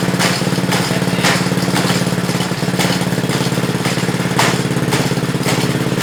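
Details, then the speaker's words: DIY C8 Corvette widebody Power Wheels kart with real small engine, first drive; steady putter with sharp irregular clacks about every half second; chain jumping the sprocket because the master link was installed backwards. "I think it is I think it's trying to jump yeah okay I see it it's like right away chicks I'll just come this way we write summarize so turns out our master link was on backwards"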